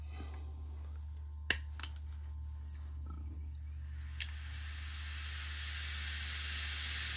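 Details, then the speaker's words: Seagate Cheetah 15K.7 600 GB 3.5-inch 15,000 RPM SAS hard drive with cover off, on SAS controller: a couple of sharp clicks then a smooth airy rush climbing over a low hum; normal spin-up. "I just want to show you how fast 15 hour sorry 15 ,000 RPM looks like when the disc is spinning I know you wouldn't be able to tell from the video but you should be able to hear uh what it sounds like"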